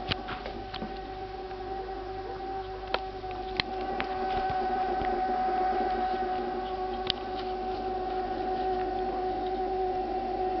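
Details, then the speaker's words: Refrigerator giving a steady, siren-like whine of two even tones with faint clicks underneath, lasting about two minutes; owner considers it abnormal, cause unknown; the ventilation fan starts up afterward. "Après ils vont me dire que c'est le bruit normal d'un frigo ça. Ça fait 2 minutes que ça dure."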